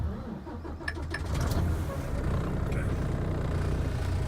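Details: 2015 Volvo VN truck, Volvo D13 425 hp/1750 lb-ft with I-Shift, 839,000 km: quick crank, catches cleanly, settles into even, deep idle with no knocks or misses; normal cold start.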